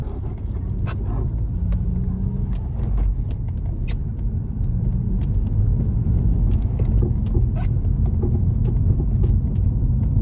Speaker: I later discovered that this noise is not the front shocks, it is in fact the drop links.